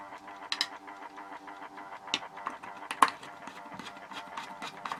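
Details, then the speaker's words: Horstmann VA Mk9 SRS2 time switch, 240 V 50 Hz synchronous motor, reconnected with the case back on: steady, fairly loud motor whirr with light ticking; case barely quietens it, normal for this model. "As you can hear from that, that case doesn't do too much to quieten it down. It's still quite loud. Like I say, VA basically means very audible."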